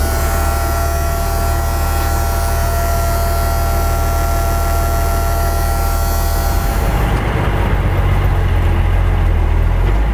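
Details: M35A2 deuce-and-a-half military truck, running after a no-start fixed: deep steady diesel rumble with an even beat and no misses, knocks or stumbles; normal idle.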